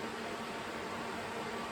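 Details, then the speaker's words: Jeep, ignition off, radiator fan stuck in full-speed mode: steady fan rush with no engine; fan relay suspected of failing again two months after replacing relay, radiator, upper hose and fan switch. "ignition switches off I had to manually unplug the fan fan is stuck in wide-open mode"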